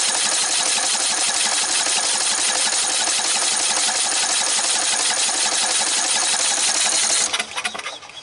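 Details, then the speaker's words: Red lawn tractor, 14.5 Briggs & Stratton, new fuel line partly fitted: fast even cranking just under three beats a second, no firing, no fuel flow; owner suspects the remaining line is collapsed. "I bet I'm gonna have to replace the rest of that line. I bet it's collapsed somewhere else. Yep. Because I mean, there's no flow."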